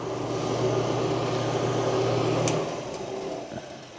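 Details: Blower on a wood-burning stove insert in a home fireplace: even, steady fan hum with no rattle or scraping, winding down quietly as it's switched off. Normal blower operation.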